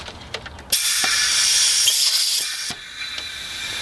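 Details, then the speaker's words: BMW 335i N54 twin-turbo intake pressurized with an air compressor for a boost leak test: a sharp, steady hiss of escaping air for about two seconds. The boost leak is at the vacuum hose to the blow-off valve. "and now we can definitely hear a boost leak alright so the leak is clearly coming from that hose right there"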